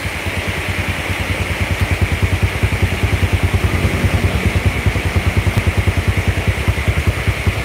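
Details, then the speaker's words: Yamaha Jupiter Z after a total engine and frame restoration following a crash into a truck, battery not yet fitted, rain on the roof: steady, even low idle thump with no knocks or rattles; sounds like new, normal idle. "baru keluar dari dealer ini suaranya Bos adem Bos body kokoh Ya kembali normal lagi suaranya Bos ya"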